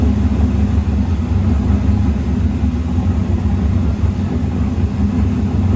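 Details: Snowcat with new Texas Speed 408 LS V8 swap, first start, no exhaust work done yet, transmission not fitted: freshly started, settles into steady, even deep rumble, no knocks, ticks or misses; normal running.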